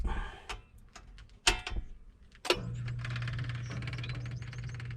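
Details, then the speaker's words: Well pump restarted after the pressure switch, disrupted by ants, was sealed off with plastic: pressure-switch actuator clicks, then the pump settles into a steady low hum, with small clicks as water builds tank pressure. Normal start. "we can hear that click of the uh power actuator for the wall pump and now the wall pumps running and that little clicking sound is the water coming through building up building up pressure in the tank"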